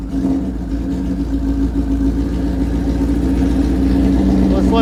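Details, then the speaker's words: 1977 Kawasaki KZ1000 with 4-into-1 exhaust, first start after sitting about a year: steady, even idle warming up with choke, still idling a little high, no knocks or misses; smoke is probably stored residue burning off; runs healthy. "warm up a little bit sounds pretty happy happy right there still idled up a little bit but sounds pretty good"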